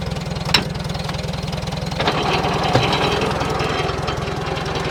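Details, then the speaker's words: 1947 Farmall A tractor idling; the ignition switch had been left on overnight, draining the battery and burning up only the switch. The carb jet was adjusted slightly. Steady, even put-put firing about three and a half beats a second, no misses: normal idle. "Kind of sounds like I need to turn my jet up a little bit. All right. I get about right there. That sounds real good."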